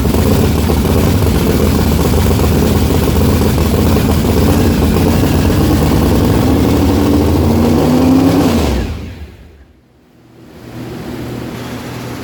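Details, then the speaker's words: Methanol-converted blown, injected big-block V8 at first start-up: loud lumpy uneven idle, brief rev, dies and restarts, a cylinder apparently not firing, fuel spraying out the exhaust; rough-running misfire, cause unconfirmed, owner believes plugs fine. "As you can see, it's clearly a very big issue. I mean, literally just spraying fuel out the exhaust."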